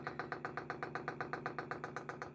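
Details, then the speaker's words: Unbranded Chinese 5 kW 12 V diesel air heater fitted on a boat, replacing a broken Eberspacher Airtronic D2: crisp, even ticks about six per second as the dosing pump primes and bleeds the fuel line; normal priming. "there's the pump priming you see how it's bleeding the system there"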